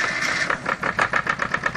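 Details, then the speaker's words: Farymann A40 diesel on the test bench for its initial start-up after an overhaul: crisp, evenly spaced thumps settle into a steady beat with no knock; idles nicely with no smoke. "listen to that baby run eh isn't that sweet the thing of beauty just like all good Fairman should be idles nicely no smoke"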